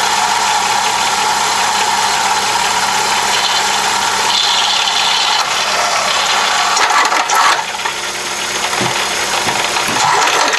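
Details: Plymouth Breeze/Neon 2.0L petrol engine running with a harsh gritty rattle and hiss from a failing water pump whose bearings were falling out, leaving the pulley loose and seizing; this had earlier broken the timing belt.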